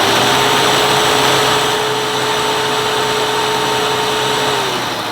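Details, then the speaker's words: 1999 Hoover U2188 Turbopower 2 upright vacuum, 1100 watt motor, first switch-on with brush roll rotating, belt suspected worn: smooth steady motor whine over rushing airflow, constant pitch; runs normally. "goes that sounds fine to me"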